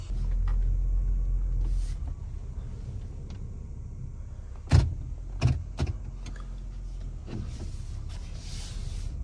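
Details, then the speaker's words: Honda CR-V driven after a noise that sounded like a flat tire: low road rumble with heavy thumps that feel like something hitting the floor; driveshaft vibration from ice buildup. "Sounds like something, it feels like something's hitting the bottom of the floor, for God's sakes."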